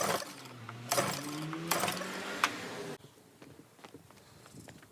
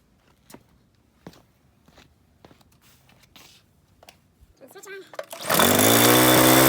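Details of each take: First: Troy-Bilt pressure washer, Briggs & Stratton engine stored over winter with fuel, carburetor suspected varnished and plugged, water hooked up: pull-cord pulls about once a second with brief whirring spin, never catches; no start, carburetor later replaced. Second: Troy-Bilt pressure washer with Briggs & Stratton engine, stored with fuel over winter, carburetor replaced, water hose attached: a few quiet knocks, then fires first pull into a steady, even drone with no misses.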